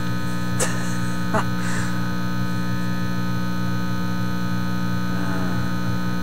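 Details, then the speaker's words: Teletone 67-600E record player after a failed circuit change to cut buzz; loud, steady low hum with buzzy edge from both channels, unchanged apart from clicks; persistent mains hum in the amplifier. "there Comes The Hum coming out of this Channel and now the other channel that sounds exactly the"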